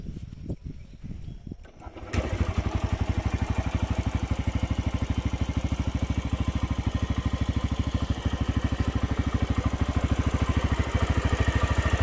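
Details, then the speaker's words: TVS Raider 125 single at about 28,875 km, idling: even beat with a light, regular "ting ting" tapping on each stroke, suggesting valvetrain ticking; cause not confirmed. "अब हम बताते हैं इसमें अभी क्या annoying sound आ रहा है लिसन केयरफुली कुछ टिंग टिंग टिंग टिंग टिंग टिंग साउंड आ रहा है"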